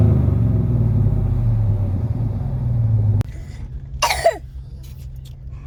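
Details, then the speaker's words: V8 truck just after swapping an Edelbrock muffler for a Magnaflow (2.5-inch muffler stepped from 3-inch pipe), idling: a low, smooth burble with no rasp or drone, very quiet and close to stock, a normal exhaust note. "oh you can tell it's mighty quiet don't sound much different than stocks hook"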